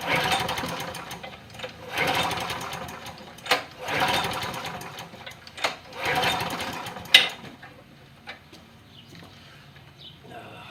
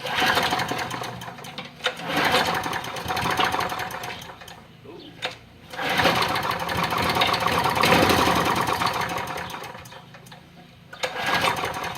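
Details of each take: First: John Deere push mower with hard starting, after primer button replacement. Repeated short pull-start bursts sputter and die without holding a steady run. Owner suspects the carburetor needs cleaning. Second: Push mower after replacing the primer button, which earlier had trouble firing; small single-cylinder engine fires and buzzes in bursts, catching and running once primed, with quick light chatter.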